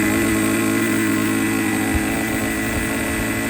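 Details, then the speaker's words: Used Traxxas T-Maxx 2.5 nitro engine, fuel tank confirmed sealed, carburetor closed as far as it goes with idle at minimum: holds a fast, buzzy, slightly uneven idle that won't settle; idles too high, owner suspects an air leak. "I cannot get the idle down and look at the gap. That's as far as this carburetor will go."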